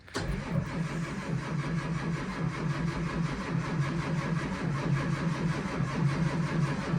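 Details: School bus diesel (2011 Thomas C2 6.7L Cummins ISB or 2004 Blue Bird 7.2L Caterpillar C7) at 23°F: steady starter churn a little under one beat per second, never catching; extended cold cranking, no start.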